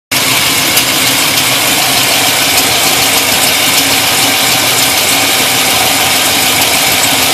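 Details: Pontiac GTO petrol V8 with a larger cam running steadily, with an occasional sharp tick louder than the valve train tick that rises with engine speed, loudest at the passenger side; no exhaust leaks found, oil pump recently replaced.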